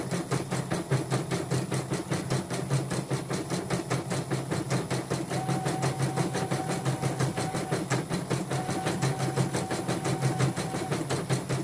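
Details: Portable embroidery machine shipped from Sekayu, South Sumatra with complaints of no embroidering, blank screen, hoop not positioning and dead touchscreen; test stitch after mainboard, LCD and touchscreen work: quick even needle clatter over steady motor hum with a light mid tone; normal embroidery stitching.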